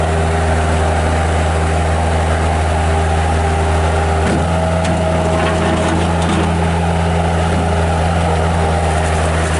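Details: 1997 Bobcat 763 skid steer loader with Kubota diesel, 2,808 hours, on Loegering tracks: a steady low diesel drone at constant speed with an even beat and no knock, miss or grinding; healthy running.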